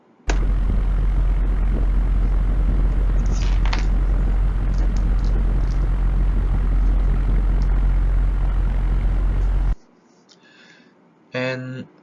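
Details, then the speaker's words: Gree GMV multi-VRF outdoor unit fan motor: a steady low electrical hum with even overtones cuts out instantly at power-off, electromagnetic noise attributed to poor component insulation. "the identify measure is just cut off the power directly if the noise disappears immediately this noise is the electromagnetic noise"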